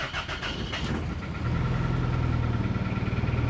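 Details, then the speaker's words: 2000 Toyota Celica GT 1.8L running rough at idle: dead misfire on cylinder 2 and weak spark on cylinder 3 from faulty ignition coils; lumpy, uneven idle with steady stumble; codes P0300 and P0302. "currently is running a bit rough due to this dead cylinder number two and a wig Sparkle number three"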